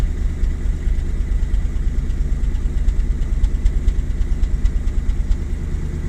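Cold idle that pulses unevenly, roughly two lumpy beats a second instead of a smooth hum; engine is misfiring, cause undetermined.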